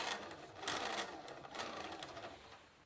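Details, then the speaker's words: Dynamo on a 1987 Gazelle winter bike with Sturmey Archer Elite AT 5-speed hub, test ride in forward cycling: loose, uneven rattling rising and falling with wheel speed, plus a lot of whining; it sounds better with the wheel turned in reverse. "As you can hear in this test ride the dynamo is rattling, and also whining a lot."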